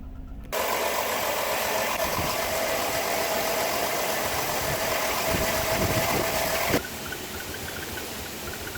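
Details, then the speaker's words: 2005 Chrysler Town & Country at idle: uneven, chuffing, shaky idle with a squeaky exhaust; a cylinder-specific misfire code. "I'm not sure how well the shakiness shows up on the video, but it definitely has a misfire."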